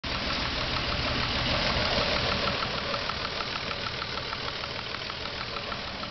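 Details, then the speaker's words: Ford SHO petrol engine idling, rod bearings replaced about 5k miles earlier: a steady light tick about three a second, valve click louder than normal; owner reports a knock above about 2.5k rpm after hard driving, none heard at idle. "valve click is a little bit louder than normal at idle."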